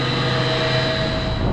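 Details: Large commercial centrifugal HVAC condenser water pump in auto after strainer cleaning maintenance, VFD about 37 Hz at 62.2%: smooth even hum, constant tone, no knocks or grinding, no leaks; normal running.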